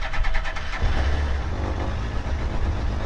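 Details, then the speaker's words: Cold start of the Indy R car with a GSXR 1000 K4 engine (166 hp at the wheels, Power Commander): a brief crank, then a deep, steady rumbling idle with no knocks or misses. Normal cold start and idle. "We'll fire this up. Big start button for go."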